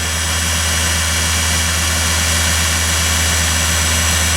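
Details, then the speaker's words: Deckel "SO" single lip cutter grinder, motor on 460 V through one contactor with toggle start/stop: smooth, constant electric hum at steady pitch, no rubbing, grinding or bearing growl; sounds pretty good. Normal motor run. "Yep. That sounds pretty good."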